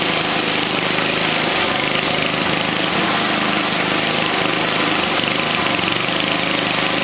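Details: 1979 Toro 524 snow thrower single-cylinder engine after repair and clearing twine left by mice: fast, even run with a steady rough buzz, no misses or surging. Normal running.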